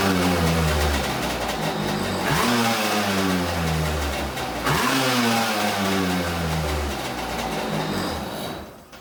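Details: Kawasaki 750SS small-pin two-stroke swapped into an SC jet ski, first start after the carb cover was removed and the battery fully charged; fires and revs up twice with a crisp buzzy rise and fall, no misfire; normal running.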